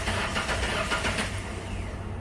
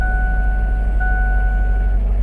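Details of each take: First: Ford Ranger with a misfire, cranked with the coils unplugged: the starter spins the engine at an even, steady pace with no catches; cranking sounds healthy, though a compression test later shows cylinder 4 at half compression. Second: Ford Ranger idling heavy and uneven with a lumpy, skipping low thump: a misfire, with compression test showing cylinder 4 at only half the normal compression.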